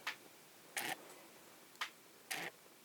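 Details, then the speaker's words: Minolta 50mm f/1.7 lens on Sony A7S with LA-EA4 adapter, autofocus test: four short bursts of dry, high ticking and whirring in three seconds as focus drives; lens focus motor hunting. "okay so that's the outer pocket it seems to be 40 but it makes that sound so I assume I"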